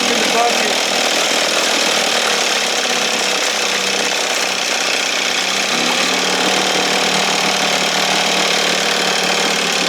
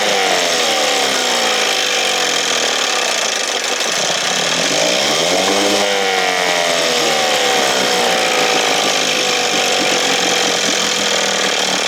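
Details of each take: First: 1968 Evinrude 6 hp outboard, restored, with gear oil and roll pin, running on the stand just after starting, opened up for more air: steady, even buzzy two-stroke note with no misses or surging, slightly fluffy; running cleanly and healthy. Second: 1968 Evinrude 6 hp two-stroke outboard, heavily choked: loud buzzing note that sags then surges instead of holding speed, then quits; rough running from flooding carburetor full of gas, plugs soaked black.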